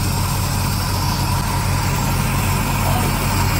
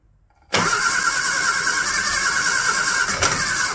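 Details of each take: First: Barn-find classic Mini pickup-based ice cream van, first start attempt with choke: it catches and settles into a low, steady idle with a fairly even chug and no obvious knocks or misses; the engine is running. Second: Barn-find classic Mini pickup ice cream van after oil filter change and fresh oil, choke applied, ignition on: steady high whirring crank for several seconds with a hint of catching; engine nearly starts but doesn't run.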